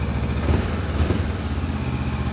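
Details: Honda CB500X big bike at idle around 1900 rpm, before engine tuning: steady, even low throb with no misses or stumbles; normal idle.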